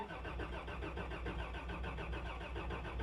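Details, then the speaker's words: 1989 Toyota Land Cruiser barn find, sat about 8 years, fuel gauge at empty: even starter churn at roughly six or seven beats a second with no catch; engine cranks but does not start. "Let's see if it cranks. That's a good sign. It is cranking."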